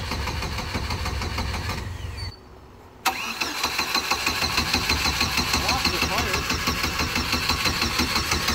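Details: Turbo Chevy Cavalier, ran earlier, just given a little fuel after being nearly empty: steady rhythmic cranking about three turns a second with a pause, never catches or pops. Cranks but won't start.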